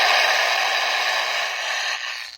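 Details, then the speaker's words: Old Athearn Bluebox HO boxcar with added speaker circuit: steady scratchy hiss with rattling edge for about two seconds, then fading; odd noise from the sound board, cause unknown. "So I've pretty much chalked this car down to being a scary car that makes spooky noises."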